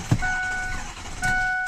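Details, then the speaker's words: 2006 Ford F-350, fed from a 5-gallon bucket, air suspected in fuel system: two short starter bursts that never catch into a firing rhythm; cranks but won't start, owner suspects fuel starvation. "But anyways, it'll start to doing that like it wants to run. Then you go to let off the key and it just won't start up and"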